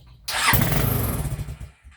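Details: TrailMaster 300 XRS go-kart, used, carburetor cleaned after sitting and refitted, before carburetor adjustment: fires and runs briefly, uneven and lumpy, then dies.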